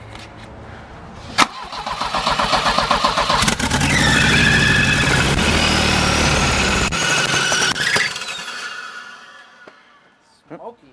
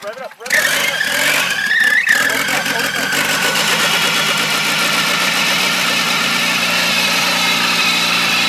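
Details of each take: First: Volvo cranking steadily at about four turns a second but never starting, after spark was confirmed and the plugs were cleaned. The plugs came out fuel-soaked again afterward; flooding suspected, cause not confirmed. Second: Volvo with welded diff, previously wouldn't start; after fitting new spark plugs (spark checked, coil pack considered) the engine cranks briefly, catches cleanly and settles into a steady, even idle; normal start and idle, old plugs were the cause.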